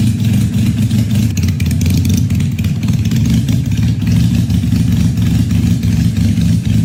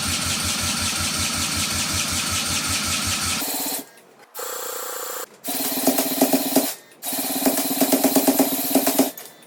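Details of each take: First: 1968 Honda CL175 converted to supercharged fuel injection, running on E85, first start at 34°F in garage: loud, lumpy cold idle with steady beat, slightly uneven but firing both cylinders; tune still needs adjusting, otherwise normal cold idle. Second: 1968 Honda CL175 with supercharged EFI on E85, cranked by drill: cranking then short, ragged bursts that stumble and die, firing on one cylinder; right exhaust stone cold, plug has spark but bone dry, injector stuck closed.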